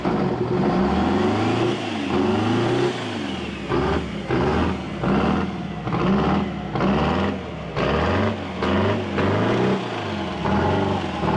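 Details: 1979 GMC Astro cabover, 8V92 2-stroke Detroit diesel, just started after sitting 7 years and filling the fuel system: it revs up and drops back in repeated bursts, picking up cleanly and running steadily without misses or knocks.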